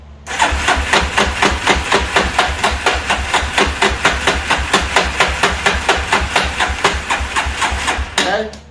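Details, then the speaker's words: 1998 Yamaha Warrior quad had no compression because its spark plug was loose in the head. After fitting the correct tightened NGK plug it fires straight up, with a steady regular thump and crisp exhaust and no misfires. Normal healthy start and running. "all the compression is back and it started right up which is kind of funny take a look"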